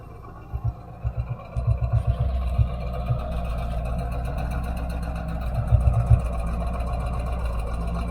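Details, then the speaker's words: 1977 Corvette V8 after fitting new mufflers. Low, throaty burble with a few quick throttle blips, even and free of rattles or leaks: a normal, healthy exhaust note. "okay well that looks much better actually that would sound pretty good on the El Camino"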